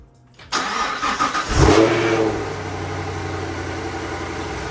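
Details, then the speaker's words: Camaro V8 first start after swapping the LT1 intake manifold for a ported LT2 C8 manifold, with 90-degree elbows and a MAP extension harness; brief crank, quick rev, then a steady, even idle; starts cleanly; normal engine start. "So one thing I was told is that once you get rid of the foam, the high pressure fuel pump makes a lot of noise. So if you hear a little like rattle, it's probably what it is."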